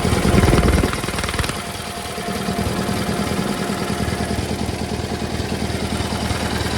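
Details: GT/18 twin after new ignition system (non-original coil), started without choke at low idle, charging working; brief louder burst then steady even putter, no misses. Runs better, carburetor tune still needed. Normal idle.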